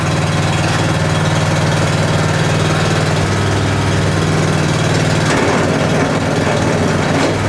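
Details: Honda small engine with 6.1 hours, unused since last spring, started cold on choke on a cold morning; loud, steady chug at an even beat, slight pitch shift as it warms, no knocking or misfire; running healthy.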